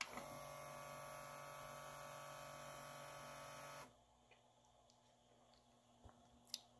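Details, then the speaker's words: Adcom GCD-575 CD player, eject pressed: motor whirs about four seconds then stops with no drawer movement and an error; broken tray loading belt, fixed by new belt and cleaning. "and then I get an e most likely error it will try to open but it's not actually opening"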